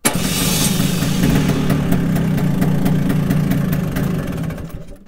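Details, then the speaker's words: Vespa scooter, sitting unused for a while, started with the JF.EGWO 2000A 12V jump starter, one of five start attempts: catches after cranking and settles into a steady, even low putter, with some smoke. Normal start and idle. "Diciamo che un po' di fumo effettivamente è uscito, però comunque è riuscito ad avviarla senza problemi."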